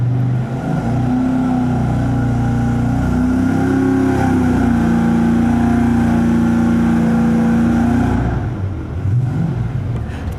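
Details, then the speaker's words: 5.3 L LS Chevy (LM7) V8 on the dyno with Holley Terminator self-learning throttle-body EFI, just after first start: fast, steady idle for about eight seconds, then pitch drops as revs fall; idle too high, possibly because it's cold, unconfirmed. "we're doing right now is looking at how the idle speed is really fast and that might just be because it's cold"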